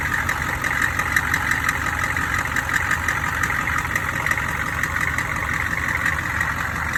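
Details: Odd high-pitched banging at steady idle: a light, sharp metallic tapping, faint and uneven. Suspected cracked flexplate or loose crank bolts, not confirmed.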